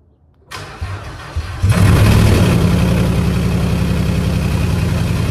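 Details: Ford Mustang started via jump starter after drilling into an ash-filled catalytic converter, phone set behind the car: cranks, catches, settles into heavy slightly uneven low rumble; runs rough, cause not confirmed.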